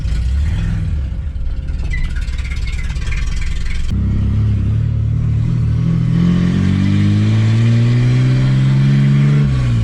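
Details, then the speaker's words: AU Falcon drift car with a replacement manual gearbox after the old one seized, which also made the clutch slip a little. Road test in first from inside the cab: the engine pulls cleanly and pitch climbs steadily with no whine, clunk or slip. Gearbox and clutch are healthy. "all right we're in first and we're moving that's good no noises clutch seems to be engaging well got to make sure she doesn't slip too"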